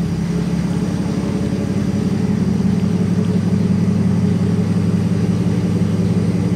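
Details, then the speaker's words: 1957 Plymouth barn find parked 20+ years, fuel system primed and air bubbles cleared, mic up close: low, even, steady idle with no misses, knocks or ticks; the old six purrs smoothly. "I mean, you could listen to her. She sits here and purrs like a kitten."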